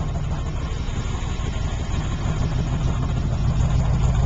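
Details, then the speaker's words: 1978 Pontiac Trans Am, 350 V8 with blower, aftermarket exhaust, stick shift racing transmission: deep, even low rumble at steady idle after a quick start, no misses or knocks; healthy V8 through louder exhaust. "Pretty good at starting right up. Hear it rumble. Got a nice solid sound"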